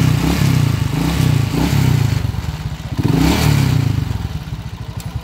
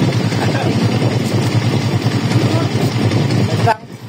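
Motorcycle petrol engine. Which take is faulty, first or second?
first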